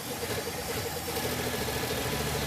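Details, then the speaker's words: Classic Pontiac that sat about 30 years, after rebuild: a fairly even idle with a light steady tick. It holds speed without hunting and runs noticeably better. "So, I was looking down there and I could see the vacuum advanced diaphragm putting timing into it. basically take that away and well it runs a lot more good."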